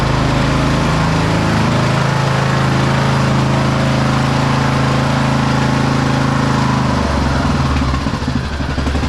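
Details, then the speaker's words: 2008 Husqvarna LTH1538 lawn tractor, mower deck running: steady engine drone with smooth deck whir and no grinding. The blades were not seized; after engaging twice they spin freely and sound good. "the blades aren't seized so it just needed you know two times to slam them and then they start spinning they sound good"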